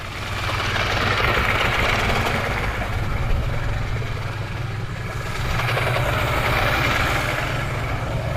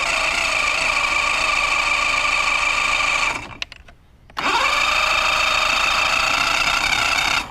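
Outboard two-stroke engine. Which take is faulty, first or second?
second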